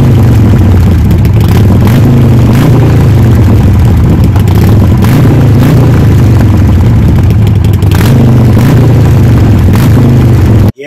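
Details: Harley Sportster after fuel pump and fuel filter replacement and tank cleaning: loud deep lumpy V-twin beat pulls up through a few blips and runs steadily; engine fires and runs normally.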